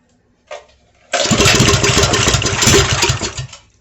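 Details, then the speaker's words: Baja Racer DB30 97cc minibike with a newly swapped engine on its first test run; it wouldn't start so starting fluid was used, and it coughs, runs roughly a few seconds and dies, owner suspects the carburetor needs cleaning. "i'll find out here in a few minutes it didn't want to start so i used starting fluid"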